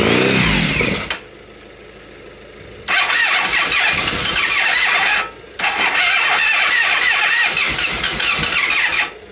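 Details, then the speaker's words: 1997 Honda Pan European ST1100 ABS, long neglected, on a jump pack and fed something flammable, after a single backfire: several long, high, whirring cranking bursts with short pauses. The engine turns over but won't start. "all right one last go and I think we'll stop torturing it"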